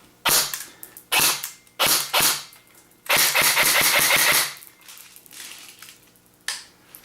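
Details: AEG airsoft AK, fully assembled after a feeding-issue repair with a fully loaded magazine, fired on semi: crisp single shots, each with a quick even motor whir, then a fast string of shots; it cycles and feeds cleanly.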